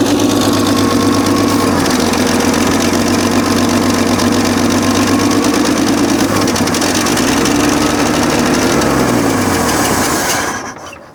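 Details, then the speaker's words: 1965 Chevrolet C10 with a 292 inline-six and 3-speed manual, abandoned for years, first start after topping up low oil and a carb cleaning: fast, slightly uneven idle with a sharp puffing tick; exhaust manifold leak. "so definitely would say it's got an exhaust leak uh sounds like it's right here right out of the exhaust manifold"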